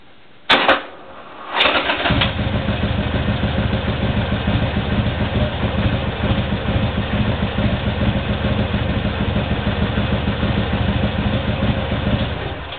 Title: demarrage difficile Harley sporster 1200c